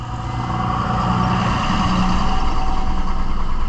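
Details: 2002 Honda Odyssey with a recently replaced fuel pump and a history of intermittent stalling: steady starter churn, about three beats a second, never catches; immobilizer OK, no output from the main relay; crank-no-start from a failed main relay.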